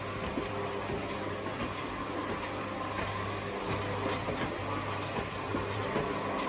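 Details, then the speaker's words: Sommer roller door control panel learning door travel time by running the door fully up then down: steady low motor hum with faint regular ticking, smooth and unstrained; normal door motor run. "Now if I press the up button, the door should take itself to the up position and then it will run itself to the bottom, and what it's doing is just timing how long the door takes to open and close."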